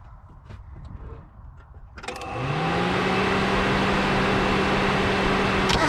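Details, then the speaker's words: 1988 Mazda 323, radiator fan rewired to run whenever the ignition is on. The engine cranks and catches, then a steady, even fan whir sits over the idle with no rattle or scrape: fan working normally. "all right here you go stand's blowing can't see it but it's blowing you can hear it"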